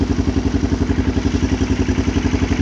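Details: 2001 Kawasaki Lakota 300 Sport ATV, warm, after battery refilled, charged and reinstalled: steady single-cylinder thump about eleven beats a second with no misses; healthy idle.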